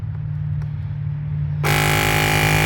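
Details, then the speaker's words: Lokithor JPD400 jump starter's tire inflator topping up a tire from 24.9 PSI; low hum, then a loud, even buzzing drone at constant pitch until it auto-stops at the set 25 PSI: inflator compressor working normally. "It was only down just a hair. And it shut off on its own because it's set for 2.5."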